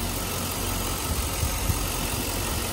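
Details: Chevrolet Suburban Z71 two-wheel drive, 5.3 V8, about 141,000 miles, listed with mechanical damage: steady, even idle with smooth low burble and no knocks or ticks under background hiss; engine sounds healthy, transmission slipping possibly suspected.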